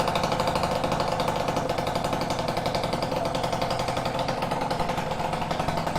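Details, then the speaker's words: Peugeot Fox 50cc two-stroke moped with Malossi exhaust and new Leovince ZX silencer, warming up after choke start, mic near the rider: fast, even popping at steady idle, muted tone, no misses; much quieter than before, normal idle. "But this is how it sounds, and it's a lot more quieter than before. So I'm pretty happy about that."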